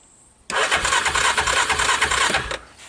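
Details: Wrecked Yamaha Kodiak 400 4x4 with seized recoil fixed, electric start on jump pack, odometer over 172 miles: about two seconds of cranking with quick, even chuffing beat, uniform compression; healthy turnover.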